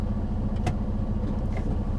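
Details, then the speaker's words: DT12 12-speed automated manual truck transmission, air-actuated shifts: steady low diesel idle with one short air-shift click as it upshifts to third, a clean, normal gear engagement. "you can hear it and I went to third or you can downshift it and get it to drop in other gears if you don't like the one that it's already in"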